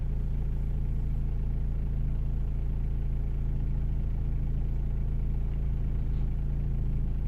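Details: 2006 Renault Modus 1.5 dCi diesel, after an intermittent no-start with no ECU communication was traced to a faulty relay: low, even diesel clatter at a steady idle, about 3.5 beats a second, with no misses or surging.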